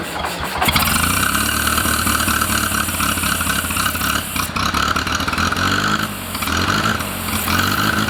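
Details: First start of rebuilt International Harvester Cub Lo-boy C60 engine after oil pump priming, carb and timing not yet dialed in: brief crank, catches right away, settles to steady even idle with no knocks or misses; normal start.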